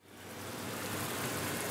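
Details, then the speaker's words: General Hydroponics Heavy Duty Air Pump after rebuild: soft, steady airy hiss with no knocking or rattle; diaphragm pump now running quietly and healthy. "ah much better guys much better much better she burning like a kitten now"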